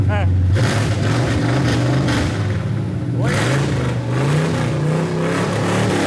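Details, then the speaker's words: 1987 Chevy square-body pickup V8, revved on open headers before the exhaust goes on, after a swap to a Summit Racing 700R4 with a new torque converter; quick blips rise and fall, loud and throaty, clean and even with no knocks or misses; sounds healthy. "How's it sound? Yeah, perfect. All right, we don't need to get too high because we gotta put exhaust on it, but what do you think about open headers? Sounds good. Yeah, it does."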